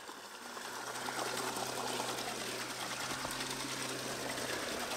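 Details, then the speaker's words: Waterwheel microhydro motor-generator charging battery via Victron MPPT controller, restarted after stop. Steady motor hum over rushing water sags slightly as MPPT kicks in, increasing resistance to slow motor toward maximum-power rpm; normal loaded generator. "you can hear the MPPT controller kicked in there and it started increasing the resistance to slow the motor down"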